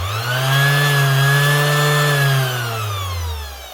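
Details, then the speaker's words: 2021 Makita BO6030 velcro sander brought in for running slow: motor whines up to speed, then wavers and sags in a spluttering, hunting surge. The speed controller is suspected; a bearing was also considered. "Especially that wee hunting sound, I would say it is the speed control. Maybe not. It's the same sort of spluttering sound."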